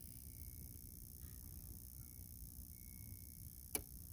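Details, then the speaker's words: Norcold RV refrigerator, after replacing a blown 5 A fuse, testing automatic changeover by disconnecting electric power: near silence, then one sharp snap of the igniter sparking as it switches to propane; normal. "here to click wait you'll hear the spark there you go so she's running in there"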